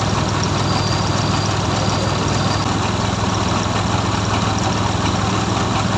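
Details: Suzuki F6A three-cylinder engine, from a hard-starting repair; it holds a steady, even idle with a low hum and no misses, knocks or hunting.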